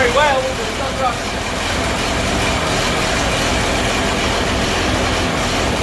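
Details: Bedford CA campervan (Rambo) being revived on a freezing −2° morning: engine runs continuously with a coarse, uneven, rough note; owner suspects too much fuel from somewhere, cause unconfirmed.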